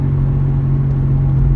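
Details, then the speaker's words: Toyota Terios coasting in neutral at 700–800 rpm: a constant low droning hum stays on, so it is not engine-driven; the mechanic suspects the front drive shaft part that turns the front wheel, the wheel bearing, or both. "यह या तो इसका जो फ्रंट हिस्सा लगा होता है शाफ्ट के साथ फ्रंट व्हील को घुमाने के लिए या तो उसकी आवाज है या बेरिंग की आवाज है या दोनों में आवाज हो सकती है"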